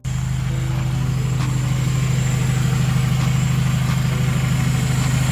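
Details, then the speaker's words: F23A-swapped Honda after fixing a no-start caused by a failed main relay and topping up 10W-40 oil: steady, even idle with a smooth low rumble, no knocks or misses; normal idle. "she is running boys she is running and honestly aside from that little oil leak we were having and that main relay going out I mean this thing is a freaking champ boys"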